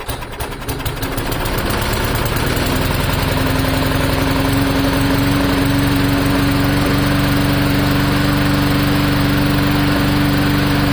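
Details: Free old lawn mower in bad shape, repaired cheaply with new governor spring, non-adjustable carburetor: fires quickly, climbs to steady even hum at constant governed speed, no surging or missing; normal running.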